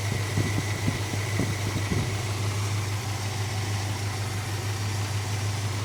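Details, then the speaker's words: 1969 Dodge Dart GT with a new carburetor, smoky from a bad ring: the mixture screws are turned in until lean. The low idle has an uneven, lumpy stumble, a rough lean idle before the screws are backed out half a turn. "All right. So, it's starting to run a little rough here. We'll back it out half a turn."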